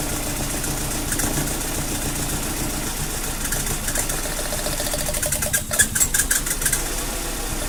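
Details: Rough idle on a Mazda Protege (2000 per description, 2002 per caption): uneven, lumpy idle with irregular knocks and stumbles breaking the rhythm; cause still being diagnosed.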